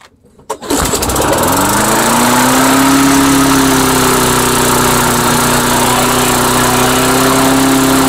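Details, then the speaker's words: Engine on Mastercraft 3-in-1 mower, after bending idle plate toward governor and priming: catches and climbs to a high steady howl, never settling to idle; overspeed, owner suspects governor linkages sticking open from routing. "H definitely racing a little bit out of control there I think the governor is just sticking a little let me try to adjust these linkages and see if that makes a difference"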